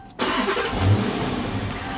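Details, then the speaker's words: 2011 Dodge Charger R/T after a pump swap, fuel near empty: brief hesitation as starter catches, then steady running; owner says it only hesitates after sitting 30 minutes to an hour, cause unconfirmed. "Now, when you went to start it, >> it hesitated a little bit."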